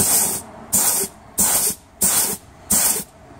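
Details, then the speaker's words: 2007 Ford Territory ZF 6HP26 six-speed automatic, stuck in limp mode with P0973, during mechatronic/solenoid repair: air pressure test of the A clutch gives five sharp blasts with soft thumps, no leak-down hiss; applies cleanly. "just going to do a quick air pressure test uh we've got the a clutch over here you can hear that's applying well"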